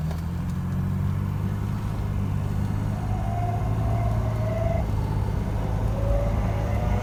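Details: BMW 635CSi (E24) under way: low droning hum with a faint whine climbing with road speed, rpm-independent, quieter under load, fading once engine is hot; worn driveshaft center support bearing, cured by replacing it.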